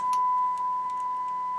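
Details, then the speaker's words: 1970s Marantz 2250B receiver after cleaning and bench test, 1 kHz tone fed into the auxiliary input: pure steady tone with no crackle, hum or distortion; output clean, though tone pots remain slightly scratchy. "but here's the auxiliary we've got one kilohertz tone coming in and"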